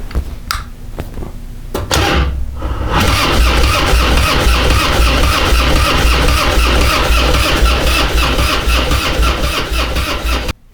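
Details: Harley-Davidson Twin Cam Dyna Glide (FXD) with CV carb and vacuum petcock, cold start on choke: false tries then loud, lumpy running; won't idle, carb leaking fuel; intake manifold air leak and faulty carburetor.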